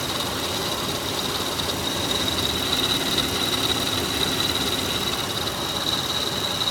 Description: So, I just had all of the belts replaced in my 2004 Toyota Highlander (3.3L V6, 3MF-FE), and it seems as if either the serpentine or timing belt is making a rather odd noise, almost like a chirp/scraping sound. In person it sounds like it's coming from the timing belt.